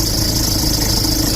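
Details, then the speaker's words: Ford Ranger MC diesel, 300,000 km, alternator pulley bearing, tensioner and belt never replaced. Idling with A/C compressor engaged: loud rough flapping and chatter, belt whipping and tensioner pulley shaking violently. "ดังสนั่นหวั่นไหวเนี่ยสายพานฝั่งนี้สะบัดน่าดูเลยกระบะเป็นเจ้าเข้าเลยลูกรอกก็สั่นเป็นเจ้าเข้าเลย"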